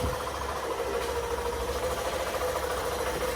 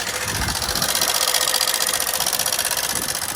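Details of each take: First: Hero Super Splendor BS6 i3s, 4321 km, after rocker arm and pin repair and setting timing: steady idle with light, even valve ticking and no loud clatter. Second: Hero Super Splendor BS6 i3s, 4321 km, at idle: fast, fairly even metallic ticking about four per second over the engine; engine oil found completely empty, worn, oil-starved rocker arms.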